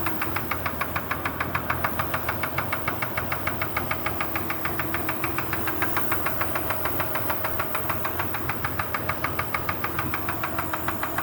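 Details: Kia Sorento at idle: sharp, light metallic knock about three per second, evenly timed; suspected piston pin knock, unconfirmed.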